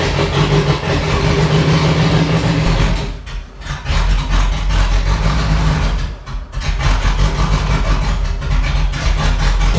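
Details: Range Rover Classic V8, first run in 7 years, new distributor fitted and spark confirmed good, coil earthed for test: uneven idle sagging and nearly stalling twice in ten seconds; hunting idle, fuel side suspected, unconfirmed.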